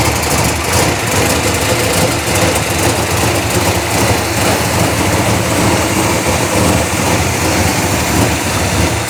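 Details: Chevelle V8 with Edelbrock Pro-Flo 4 EFI, 13.5:1 compression, injection not yet fine-tuned, 3.5-inch collectors into 3-inch exhaust with mufflers: deep, even, lumpy rumble with a steady beat, no knocks or misses; normal idle.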